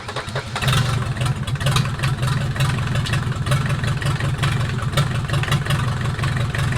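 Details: Mercedes 240D OM616 diesel, reassembled after sitting about a year and a half, 124k miles, chilly garage restart after glow-plug cold start: steady even clattery idle, no knocks or bangs, smoking a little on old nasty fuel; normal diesel idle.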